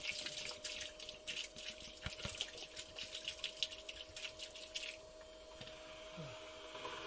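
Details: Boat bilge pump tested after rerouting its discharge hose, with water poured into the bilge: a steady mid-pitched motor hum under splashing, gurgling water as it clears the bilge normally, leaving a little water at the bottom.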